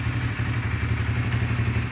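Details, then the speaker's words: 2006 Honda CBR 150 (old model), original with stock exhaust. Steady, even low putter at idle with no knocks or misses. It starts on a single press without choke, showing a good engine. "kita cuman sekali starter aja itu langsung hidup teman-teman kalau yang mesinnya bagus"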